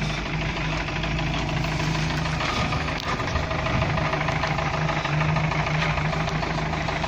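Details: UAZ with 417 engine, idling: steady idle with an irregular tapping knock about three per second; the engine knocks but still drives; the source isn't pinned down.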